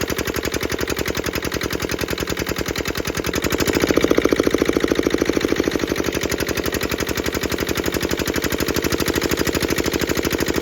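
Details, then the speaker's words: Petter AA1 single-cylinder diesel water pump, not run for a week, started by pull with decompressor and fuel set: steady even thump with a crisp injector pump chink each stroke; running healthy. "e and there you have it like I say I didn't didn't reckon it would take a lot to get going"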